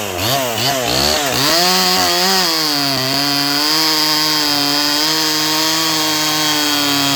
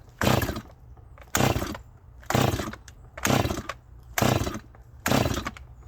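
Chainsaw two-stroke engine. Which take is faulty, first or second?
second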